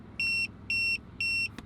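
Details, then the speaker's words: RV trailer TPMS while driving, rubber valve stem split from the sensor's back-and-forth movement, Goodyear Endurance tire: shrill high double-tone beeps about two per second over faint road hum; rapid pressure loss alarm. "noise and we quickly pull off because you think it's a tire getting ready to shred and fall to pieces"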